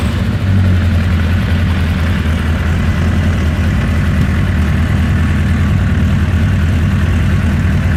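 Deep, heavy idle with slightly uneven low pulsing and small wobbles in the beat; engine idling rough, cause unknown.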